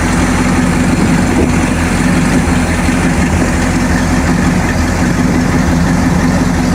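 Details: Freshly built Mercruiser 454 MK IV marine V8 with cam already broken in, run briefly on the hard: steady, even idle with a smooth low rumble and no knocks or ticks; healthy.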